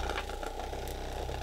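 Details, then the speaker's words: Budget Captain America massage gun, 2000 mAh battery, turned up through its 20 levels: steady fast buzzing pulse with loose clattering rattle, battery rattling inside the cheap plastic housing; cause suspected, not confirmed. "yeah even that is like rattling the crap out of the battery yeah do you hear that sounds like it's gonna break like right away"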